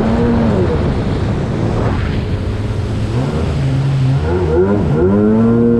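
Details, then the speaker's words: GP800R jet ski, held at wide-open throttle: engine roars then pitch sags and wavers as it loses power; owner suspects fuel starvation, possibly old gas, not confirmed. "i'm not letting off the throttle i'm gonna hold it on and you'll hear it kind of lose power it's gonna totally lose power"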